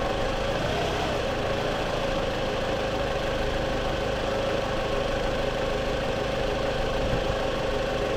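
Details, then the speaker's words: 2014 Scion xB, 102,000 miles, just after replacing coil packs and spark plugs: starts right up into a smooth, even idle hum with steady tone, no stumble or miss; engine still cold. "all right we're going to be starting the car up now she starts right up"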